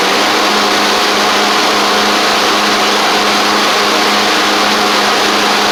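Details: Craftsman riding mower, after fixing a bad-ground no-start click and a broken deck spindle, holds a smooth, steady note with even exhaust roar and no misses, knocks or rattles; runs healthy.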